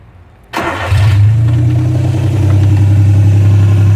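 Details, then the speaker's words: South Korean micro van, 800cc 3-cylinder OHC, no muffler or catalytic converter, small vacuum leak at the manifold: cranks briefly, catches and settles into a loud steady idle with a deep even exhaust throb, no knocks; normal start and idle. "can hear she's running [Music] pretty noisy there's no Muffler no K converter so we're breathing raw exhaust"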